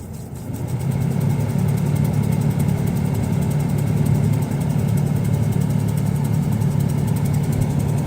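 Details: 2000 Ford Ranger XLT, 3.0 V6 flex-fuel automatic, 102,294 miles, idling: steady ticking about four times a second from behind the glove box or passenger footwell, speeding up and slowing with AC blower speed. Cause unknown; AC works fine.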